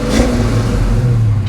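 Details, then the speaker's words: 1990 Ford Mustang 5.0 V8 track car, odometer showing 20,000 miles (possibly replaced): deep, loud, throaty rumble swelling smoothly on throttle blips, no tapping or misfire, a strong healthy V8 rev. "you can't ever beat the sound of a five liter that's unreal"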